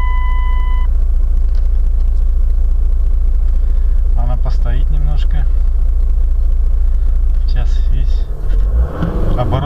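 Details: Chrysler Voyager diesel with faulty fuel tank return check valve/float: idle pulses unevenly, then sags and dies near the end as fuel drains back, starving the engine and causing stalling.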